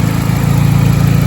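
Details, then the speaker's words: 2009 Pontiac G5 GT after replacing VVT solenoids: steady, even low idle with no surging or stumble, previously surging and misfiring at idle; running healthy after repair. "i don't know if y'all can hear the difference but this thing was surging at idle definitely sounded like it had a misfire idle it well sounds so much better"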